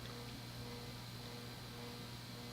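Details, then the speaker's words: Hunter/Robbins & Myers 38" Reverse-aire ceiling fan, model 22290 (1983), 2-speed oil-bath shaded-pole motor run dry its whole life: quiet hum with a wavering cyclic buzz from a worn shaft. The fix is a new shaft; heavier SAE 30 oil is a workaround. "means it now has this cyclic buzz the only way to truly repair this is to press out the old shaft and put in a new one"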